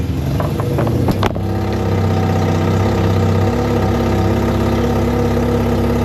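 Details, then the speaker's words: First start of freshly rebuilt Mazda RX7 FC 13B NA rotary on old spark plugs: brief crank, catches, then low uneven idle that sags and wavers; fires but won't hold idle. "Well, it started, but the idle's rough, so I got to figure something out. I'mma just open up the idle fully. See if it'll hold idle."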